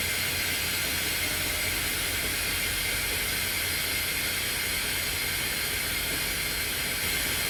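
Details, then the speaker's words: Semi-truck trailer, trailer brakes being set: loud, constant rushing hiss of escaping air as the trailer suspension dumps and slouches down; air brake leak. "So, one of the things you'll notice, you see how the trailer's setting right now? It's going to like slouch down. [Music] Listen to this hissing and watch the trailer dump."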